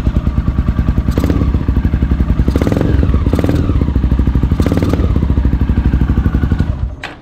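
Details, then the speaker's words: 2008 Honda Twister 250cc motorcycle after carburetor screw adjustment: idle now holds steady, but throttle blips stumble and hesitate before revs rise; owner suspects a rich mixture. "lento ela ficou bom mas quando acelera tá dando uma uma falhadinha mano uma engasgado excesso galera"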